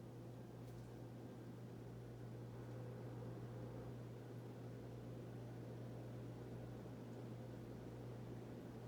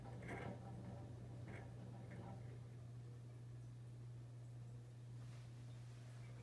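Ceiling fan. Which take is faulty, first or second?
second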